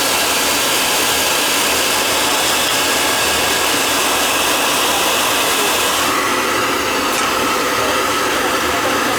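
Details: Riello oil burner on a no-heat call, refired after fitting a 0.75 nozzle (spec 0.50–0.95): a loud, steady, even roar of flame and fan with no pulsing, sputter or rumble, firing cleanly.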